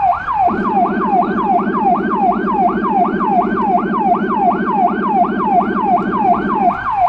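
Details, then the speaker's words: Federal Signal Rumbler on a small emergency car in Budapest: high siren sweeps up and down about three times a second over a deep pulsing 180–360 Hz rumble; siren and Rumbler both working normally. "However if you look at the pedestrians, there are more of them on the road, than with the "normal"(high pitch) siren."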